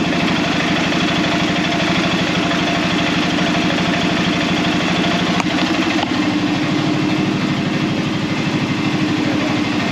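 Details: Arctic Cat Prowler engine running on the stand after rewiring and bleeding air from the cooling system, thermostat still fitted: steady, even idle with a regular pulse of about three beats a second; no knocks or misses, runs smoothly.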